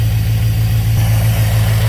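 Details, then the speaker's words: 1995 Chevrolet Camaro Z28 5.7 V8, six-speed, low oil pressure: rough heavy idle and revving with a definite steady low rod knock; piston slap fades as it warms, then the knock grows louder once hot; engine to be pulled for overhaul. "all right not sure if you can hear that but there is a definite knock there it does have some what's called piston slap too uh that goes away as it gets warmed up and then the rod knock takes over even more once this thing's hot"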